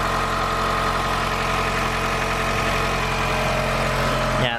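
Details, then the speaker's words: Mitsubishi Galant VR4 after coolant temp sensor replacement and coolant top-up, starting straight up; steady even idle with smooth hum, no knocks, misses or surging. Normal idle. "okay starts up fine i should probably make sure it doesn't leak or anything"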